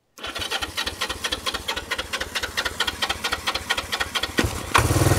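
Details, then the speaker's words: 1973 Honda CB360 twin with tank missing, air cleaners off and throttle seized, run briefly on starting fluid squirted into the intakes; uneven loping pops that stumble, then rev louder and smoky; rough running, carbs not rebuilt. "yes it is Smoky MC smoker guys I don't know about you but that sounds like a running motorcycle"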